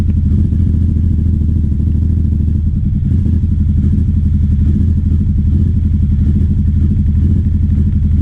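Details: 2009 Aprilia Shiver SL750 V-twin before throttle body cleaning: idle hunts up and down and stumbles, starting about a minute after start-up, with no error messages; owner suspects sludge from the dirty fuel tank. Erratic idle.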